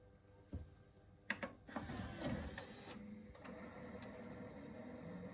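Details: Pioneer DVL-700 disc player with fine picture clicks and clunks, then settles into a buzzy, rattling whir as the disc spins up; owner suspects a failing spindle motor, unconfirmed.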